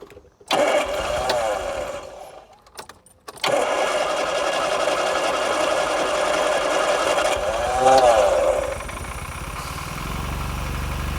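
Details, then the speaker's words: 1980s turbo hatchback with 36,000 miles, off the road since 1992, first start: catches after cranking, then runs evenly with light throttle blips rising and falling cleanly; sounds healthy and smooth. "So smooth. Fantastic. So smooth. Really? Yeah. Gosh, I can't believe it's it's fired up after all that."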